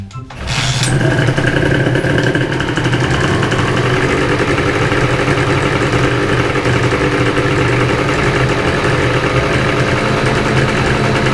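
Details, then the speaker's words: Honda NSR250R MC21 two-stroke restoration, first start on premix fuel after rebuild with new piston: fires right up into a steady, crisp idle with no stumbling or rattles; normal two-stroke idle. "Kiểm tra động cơ khởi động bằng nhiên liệu hỗn hợp."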